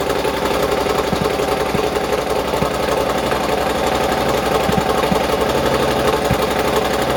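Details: Triumph motorcycle run up after its rebuilt, repainted exhaust and heat shields were fitted: loud, steady, crisp and even exhaust beat at idle with no misses or rattles, running cleanly.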